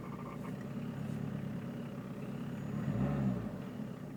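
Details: Peugeot 306 turbo diesel idling with a low, uneven throb and an odd humming swell that comes and goes; owner finds the idle noise strange, cause unknown.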